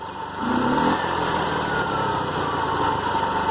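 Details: TVS King three-wheeler with a bad engine noise and an air filter hose replacement; engine revs up briefly then settles into a steady, smooth hum with no knocks or rattles, running normally.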